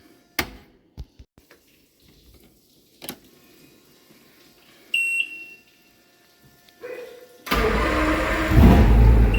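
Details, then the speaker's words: Evinrude 150 Ficht outboard after replacing a burned fuse that caused no power, no crank and no trim: a few clicks and a short warning beep, then it starts at once and settles into a steady, even run. "Now, as you can see, trim works, and also the engine. So let's start it and"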